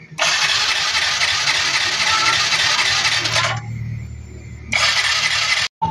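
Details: Yamaha Mio i 125 fuel-injected scooter: bursts of high, hissy whirring as the starter spins it with no firing, cranks but won't start; spark, fuel pump and injector test good, so injector O-ring (worn, thinned) most likely, not confirmed.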